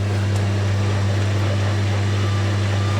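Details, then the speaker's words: Newly acquired collector's washing machine on its first loaded spin: steady, even low hum with no thumps or rattles; the drum spins smoothly and sounds well balanced. "nice and smooth my favorite bit of watching any machine I get seeing that first loaded spinner"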